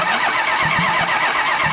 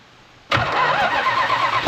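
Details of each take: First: 1968 Plymouth Road Runner with a 440 (block tag suggests about 1978, truck or motorhome origin), no headers or manifolds: even, steady starter churn turning the engine over without firing to build oil pressure; oil seen coming up the tube. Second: 1968 Plymouth Road Runner with a 440 V8 (tag suggests ~1978 truck/motorhome engine), no headers or manifolds; hot-wired after starter install and oil pressure confirmed, fires instantly into a loud crackling ragged roar for ~3 seconds then shut off; exhaust blasts from open ports.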